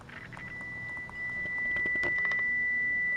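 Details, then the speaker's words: 1941 Motorola 83K1 antique radio chassis under repair, test signal injected at pin 2 of the output tube: a clean, steady high tone comes through the speaker over light tapping, confirming the output transformer is good. "I can hear it in the speaker so that confirms that the output Transformer is good"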